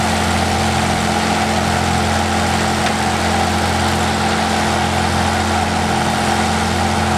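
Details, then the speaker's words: Old Case lawn tractor with a big motor idles steady and even with a constant low drone, no misses or knocks; healthy motor with good compression, doesn't smoke even cold. "pretty healthy motor sounds like it's got good compression everything so"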